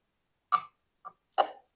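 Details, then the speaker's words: 1959 MGA roadster differential, removed and cleaned, spun by hand on the bench: separate dry ticks at irregular gaps, rough notchy rotation, not moving smoothly; cause unknown, does not sound normal. "around certainly not moving very smoothly you can really hear that clider I'm thinking it's not sounding so good"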